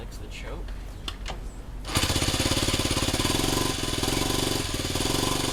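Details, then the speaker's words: 1971 Honda CT90 after engine rebuild and reassembly, valves reset to loose 0.002 in: choppy uneven putter with rhythm dips, only runs on choke; owner suspects air leak at old air boot, to be tested with starting fluid. "And basically, I'm going to get the bike running and then sort of spray the air boot and see if we get a surge or what because basically it only wants to run on choke."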